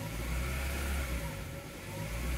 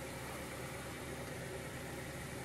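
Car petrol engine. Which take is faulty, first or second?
first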